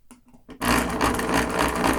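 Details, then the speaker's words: Thrift-store Singer machine (apparently non-electronic) running at steady speed: a loud, harsh, rattly clatter while the mechanism moves back and forth. The owners think it is very dry; this is not confirmed. "Okay, it just sounds like it's really dry. Oh, yeah. So much so that it's like, it's just making awful noises."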